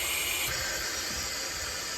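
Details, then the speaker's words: 922B air brake system, treadle valve in neutral: steady, sharp hiss of escaping air that continues when the port is plugged; air leaking out the bottom of the treadle valve exhaust. "It's exhausting through here. And when I plug it up now, you can hear it exiting out the bottom of the threel."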